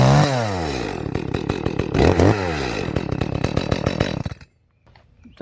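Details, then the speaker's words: Echo CS-310 chainsaw after cracked purge bulb replacement, cutting cherry: revs up and bogs in cut with burbly uneven four-stroking instead of crisp scream; sounds like high-speed mixture running a little rich, to be leaned. "Tell you what, this thing sounds like it's running a little rich. So what I'm going to do is go inside, grab a tuning screwdriver."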